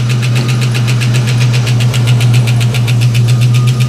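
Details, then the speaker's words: 1989 Mustang LX 5.0 V8, first start after about 3 years, new injectors and pressure regulator: loud idle with fast even ticking about four per second; owner wonders if injectors or valvetrain, unconfirmed. "what in the world is that noise this is crazy guys this car hasn't run in like three years oh wow it just sped itself up but I literally put fuel injectors and that sound is weird"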